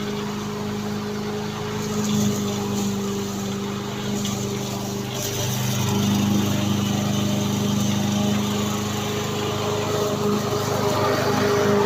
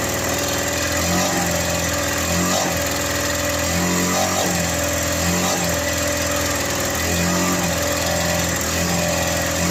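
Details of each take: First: Victa petrol lawn mower after repair, blades refitted, previously stuck at full revs with throttle not adjusting: small single holds a steady, even buzz throughout with no surging, misfires or dropouts; running normally. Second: Victa lawn mower running but throttle adjustment does nothing; it stays on full revs, and owner suspects something inside is holding it at full speed. Earlier it made a weird noise when pushed. Constant high buzz that never drops: engine stuck at high speed.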